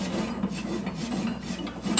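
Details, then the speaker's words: MacKissic wood chipper attachment, shaft turned slowly by hand; a steady dry rasping scrape because a loose hammer cotter pin (3/16 x 1 inch) has worked out and rubs the housing; the pins were then replaced. "I am getting some grinding noise and I don't know what that is. If you guys can hear that. Something's rubbing that shouldn't be. This pin right here has worked its way out and is rubbing the housing."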